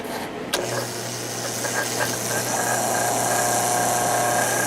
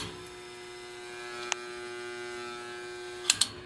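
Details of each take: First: 1950s Patton 18-inch fan, 3.2 A GE single-bearing shaded-pole motor, after oiling and tightening the end cap to stop shaft end play, run without the blade: smooth steady low hum with faint whistle, slight scrape from the collar; running quiet. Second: 1950s Patton 18-inch fan with 3.2 A GE single-bearing shaded-pole motor, after rattling on low: steady hum with faint clicks and little airflow as motor slows down on low speed; bearing noise problem.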